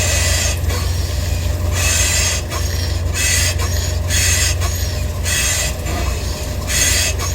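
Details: 2015 Ford Edge with front suspension rocked side to side: a high, scratchy squeak repeats about every second, and the lower control arm ball joint is found loose and worn.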